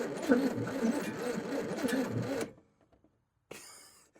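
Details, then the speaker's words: 1956 Chevrolet 235 straight-six parked since 1989: slow, even cranking about three turns a second, never catching; spark only when manipulated, cranks but won't start. "Ain't even a hope of this thing running. That is a slow cranking son of a gun. But every 600 I had always was slow cranking."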